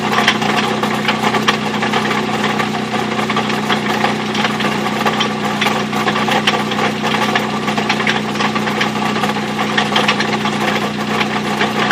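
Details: Mazda B2600i pickup after five years of hard driving, motor at the end of its life: steady idle with sharp evenly spaced knocks keeping time with the engine; deep internal engine knock before the motor died.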